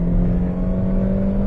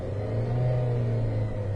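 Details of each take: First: 2013 Dodge Avenger that intermittently dies while driving, floored on the road: engine drones at a low, flat, barely rising pitch, struggling for power; weak fuel pump suspected, fuel pressure test planned. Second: 2013 Dodge Avenger that intermittently dies while driving but restarts: engine revs up smoothly and settles evenly, no misses, hiss or knock, so vacuum leak or EGR issue unlikely; electrical fault suspected; normal engine revving.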